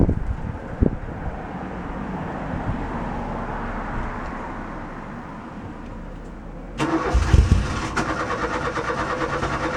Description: Me starting up my mk2 fiesta 1.1 popular plus with the crossflow OHV 1.1 engine, takes abit to get it going but it'd been sitting in the cold for a week.